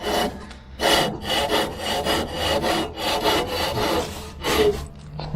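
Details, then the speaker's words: MTD twin-cylinder ride-on mower, sat outside five years: blade spindle turned by hand, first pretty much seized, then rough gritty grinding in uneven bursts as it frees up; bone-dry blade spindle bearings, oil planned. "it's pretty much seized though oh that's moving not very freely there we go it's spinning now very dry bearings"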